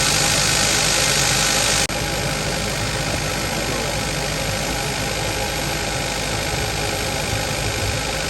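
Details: 2015 Kia Forte 1.6 GDI after replacing a coil found bad for multiple misfire codes: steady even idle with a light regular tick about four times a second, no stumble or shake; running smoothly.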